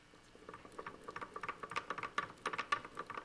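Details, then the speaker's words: BMW K75 transmission opened, gears spun by hand: light irregular metallic clatter like hot-engine neutral rattle that stops with clutch in; loose grub screw found, bearing suspected worn. "similar to the rattle that you get in neutral especially when the motors hot pull the clutch in it goes away let the clutch out you hear the rattle"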